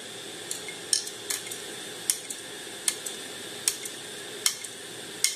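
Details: HP 22-inch all-in-one PC: sharp dry ticks about every 0.8 seconds over a faint hiss from the hard disk, cause not pinned down. Hard disk clicking.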